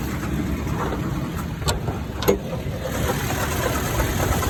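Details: 2014 Toyota Tacoma TRD OffRoad at idle: occasional dull clunks over low rumble, only at idle or slightly above; the AC compressor clutch and coil had melted and failed, and replacing them cured the noise.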